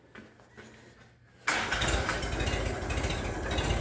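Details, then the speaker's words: Minneapolis Moline BF tractor after in-frame engine rebuild, fairly warm, muffler just fitted, possibly too much choke: after a pause it catches at once and settles into an even, subdued, quiet idle; normal start and idle. "Oh, that's nice and quiet. She's just fine."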